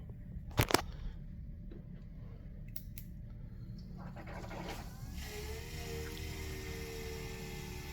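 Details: Vsport intercooler coolant pump switched on during the fill procedure after a leak repair: a few clicks, then from about four seconds a faint, steady electric hum sets in and holds even; the pump is running normally.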